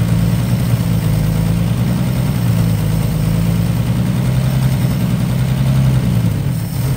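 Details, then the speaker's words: 1955 Chevy six running a few minutes, though not yet drawing fuel on its own: deep, steady, even idle with no knocks or misses; sounds really nice. "we were able to actually get it to run for a little bit longer so that's good uh here run for a few minutes she sounds really nice"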